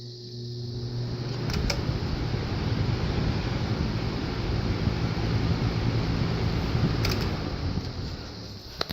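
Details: New Lasko box fan on its first test run: smooth, constant low whir with only a couple of faint clicks, no rattle or scraping; runs normally.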